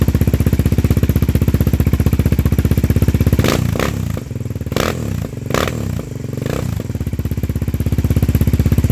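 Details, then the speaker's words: Yamaha Raptor 700R quad, first start after long project with modified replacement stator, now on its original computer (ECU): steady single-cylinder thump about four beats a second, briefly muffled, settling to an even idle; runs better with original. "all right guys so as you can hear in the background this thing is purring like a kitten it actually is running better with the original"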